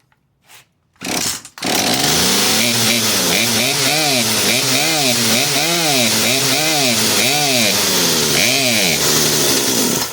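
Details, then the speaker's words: Poulan P3816 38cc 16-inch chainsaw after HIPA carburetor and fuel line kit install, choke off after starting: revs climb and sag, bogging out; fix is turning the mixture screw nearest the air filter about a quarter turn counterclockwise. "you can hear it bogging out like that they send you a screwdriver the two adjustment screws the one closest to the air filter you're going to go in and counter clockwise like about a quarter of a turn"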